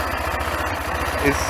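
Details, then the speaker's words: Bike named Gina, a newly acquired machine planned for modification: steady, unhurried low idle thump with no knocks or misses. Owner says it runs well, engine running perfectly with no faults. "हाँ, जैसा कि मैंने कहा, और यह काफ़ी अच्छी चलती है। अब हम इसकी जाँच करेंगे।"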